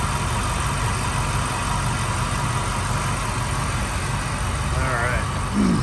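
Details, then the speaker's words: 1996 Ford Mustang Cobra convertible, 81,000 miles, nearly stock and serviced: a deep, even burble holding a steady idle with no misses, ticks or knocks; running smoothly and healthy. "definitely definitely sounds good and running smoothly and perfectly"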